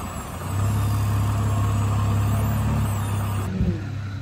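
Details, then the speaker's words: Jeep on a dirt lot, engine rumbling steadily at low speed while steering side to side to reproduce a clicking that started on a second Teraflex Alpine IR track bar after about two months; no clinks or clunks heard this time, axle-side clamp already tight. "no clinky clunks damn it"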